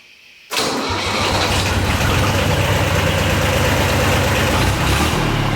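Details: Yanmar YM276 diesel tractor after clutch replacement: catches at once and settles into a steady, even idle with no knocks or grinding; slight noise with clutch fully down was just an adjustment.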